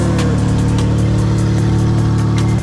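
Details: 2008 Chevy Impala cranked up during starter, motor mount and transmission mount replacement: low even engine drone, steady, no knocks or grinding; running normally after starting.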